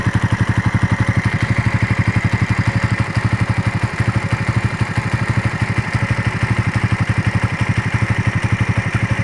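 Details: Raider motorcycle after a long ride: steady idle with even pulsing beat about four times a second over low clattery rumble; abnormal engine noise, cause not pinned down.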